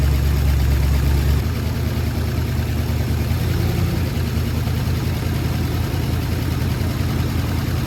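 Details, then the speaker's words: Ford Sunliner after new starter and carb cleaning, fresh start: low uneven idle with rough puffing chuff; really bad exhaust leak at front pipe joint, black soot, to be resealed with high-temp gasket maker. "Got a really bad exhaust leak right here. So that's something we'll have to take care of."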